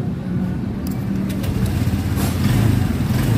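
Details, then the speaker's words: Motorcycle that would not electric-start, fuses fine, now cranked on a temporarily connected battery (too long to fit): catches and settles into a steady, even single-cylinder idle with no misfire or starter drag, confirming the fault was 100% the battery. "Nah, ini peak ya, 100% aki ya."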